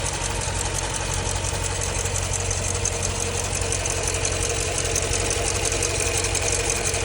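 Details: 2015 Jeep Grand Cherokee SRT 6.4 Hemi V8 at idle: light, fairly regular tick near 170 per minute on top of a steady idle; owner suspects lifter tick, unconfirmed.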